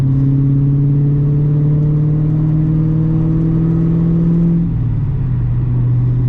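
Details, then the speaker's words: MG ZT 260 with Ford V8, after a new clutch, revving then returning to idle with the rear silencer boxes removed: loud, open, booming drone. "So in a minute we're going to hear it without, don't you dare fall over camera, we're going to hear it without back boxes."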